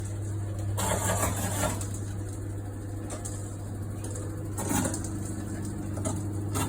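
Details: Washing machine: steady low drum hum with irregular loose rattling bursts every few seconds; something loose in the drum, likely an object left in a pocket.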